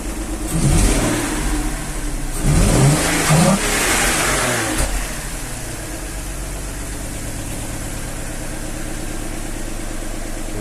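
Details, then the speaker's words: Infiniti FX35 first start after costly cylinder head repair with camshaft bearing journals restored, car sat since 11 August 2023: several quick revs climbing and dropping cleanly, then even idle, no knocking; engine runs healthy. "Запускаем мотор. Первый запуск, ребята. Автомобиль стоит уже с августа 2023 года, с 11 августа."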